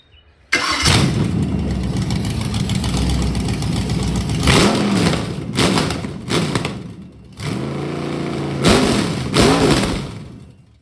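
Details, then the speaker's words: 302 V8 budget rebuild, run with temporary carb, fuel line and starter, no coolant, recorded from outside; after timing set to about 12 degrees and 16 inHg vacuum, it fires up, idles with a smooth even burble and revs crisply; runs healthy. "That should give you a good idea what it sounds like. Sounds good. Seems to run good."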